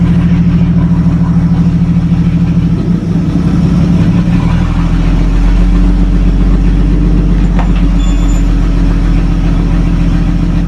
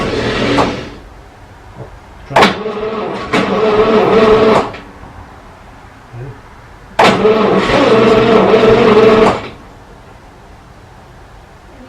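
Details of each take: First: 1937 Talbot saloon 3.2-litre six-cylinder, first run since 1976 with fuel system temporarily bypassed: steady, low, even idle with a smooth firing beat, no knocks or misses; slightly smoky, oil pressure about 40 at idle, 50 with revs. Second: 1937 Talbot saloon with a 3.2-litre six-cylinder engine, laid up since the mid-1970s, on a gravity fuel feed with its original plugs. The starter churns in two-second bursts with only faint coughs and no catch. It will not start, and the cause is unclear.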